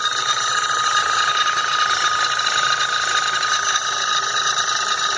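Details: 2011 VW Jetta 2.0 TSI idling with abnormal noise and power loss: steady hissing whine and fine clatter from the high-pressure fuel pump when its pressure regulator valve is not actuated, running at maximum pressure.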